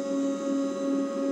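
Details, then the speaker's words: Old MakerBot Replicator with an unheated bed, running a test print after its carriage wiring was wiggled for an intermittent fault: a steady, slightly pulsing two-tone whine, loud stepper motor noise from very old, non-Trinamic drivers. "Yeah, obviously it's some really old drivers. You can hear how noisy it is. Definitely aren't Trinamics."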